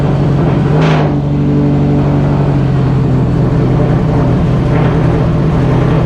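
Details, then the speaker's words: Subaru EJ207 boxer, fresh rebuild with new bearings and rods, first start on break-in oil: clean idle and blips with a smooth low rumble; slight piston slap, which the engine builder says is normal for these pistons before break-in. "engine builder says uh that little bit of piston slap noise is normal for these pistons plus it's a brand new motor so it's got to be broken in"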